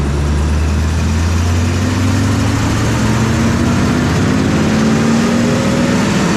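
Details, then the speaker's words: Chipper engine started cold after sitting iced over; instead of its usual diesel-like spitting and sputtering, it runs smooth and even, pitch climbing steadily as it revs up. "But that time it was very smooth, kind of surprising."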